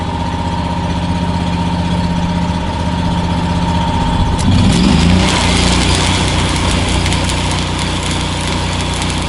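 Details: New Miller Bobcat 260 engine welder, power set between 7 and 10 while welding, started by remote: steady, even engine drone that firms up and deepens slightly as the weld load comes on, no knocks or misses; healthy under load.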